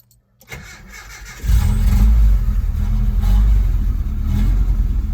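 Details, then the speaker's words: Truck cold start after running fuel pump: brief cranking, catches within a second and settles into strong even run; fires right up, healthy. "fires right up."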